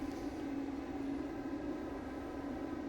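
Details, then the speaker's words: Small, quietest HeatStar propane forced-air heater running after ignition: a steady, even roar with a constant low hum and no sputter or surging; burning clean and stable. "that one's running."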